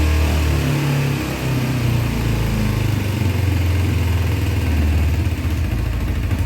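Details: 2000 Kawasaki Ninja 250 twin, stored about a year, with carbs cleaned: held at 4,000–6,000 rpm (redline 14,000), sagging and surging, and only stays running on throttle. Gummed-up carburettors mean it won't idle.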